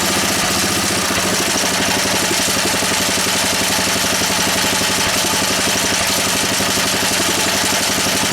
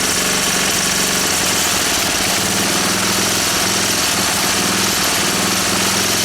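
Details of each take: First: Honda E300 generator whose carburetor needs work: it runs at a steady speed with a constant buzzy rattle as its casing shakes against a fence; rattle against fence. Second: Honda E300 generator engine after work on it: an even, steady single-cylinder beat with no misses, knocks or surging; it runs normally.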